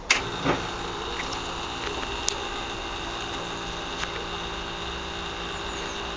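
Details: Aprilia SR 50 DiTech scooter: quiet, even starter whir with faint clicks and no sustained firing, cranks but won't start; began after someone altered the mixture screw, spark plug cleaned but black again next day. Cause suspected, not confirmed.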